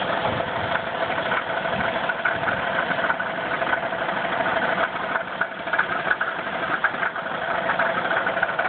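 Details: 1994 Chrysler 3.3 V6 with about 77,000 miles, idling: a steady, dull knock through the idle; at least one bad rod bearing suspected.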